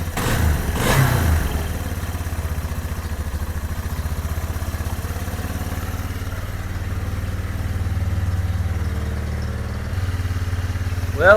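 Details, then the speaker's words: 2001 Yamaha Bear Tracker 250 single-cylinder ATV, sat long time, no-spark fixed (bad stator pickup coil suspected): quick crank catches, steady even putter idle, no knocks or misses, runs good; bad fuel leak likely at petcock seal. "it's running and it sounds good, but my gosh, it's got a bad leak."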